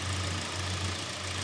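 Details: 2019 Hyundai Kona petrol engine idling steady and even with no knocks or clunks, after a worn engine support was replaced. That support had caused steering wheel vibration and a clunk when pulling away.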